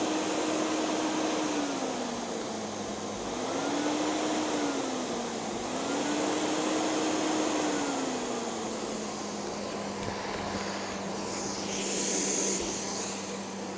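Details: Hoover Sensotronic Total System 50 vacuum cleaner, heavily damaged unit, first power-on test; steady high whoosh with smooth motor tone rising and falling slowly as suction changes; motor runs normally.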